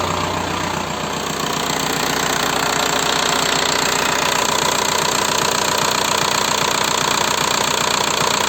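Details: 1.9 TDI diesel (ALH/AGR/ASV/AHF) at steady idle after an oil change: sharp, even tapping about three per second over the clatter, from worn hydraulic lifters and piston slap. Rings likely burned by rare 30,000 km oil changes. New lifters almost cured it.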